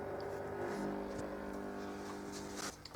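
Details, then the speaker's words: Zanussi ZDT5152 dishwasher on Bio program: fills with water, then only a steady low faint vibrating electrical hum with no program progress; the owners had mice; cause not confirmed. Low hum at start. "слышно такой звук как чуть-чуть vip вибрационный слышно звук такой [музыка] и все больше ничего не происходит"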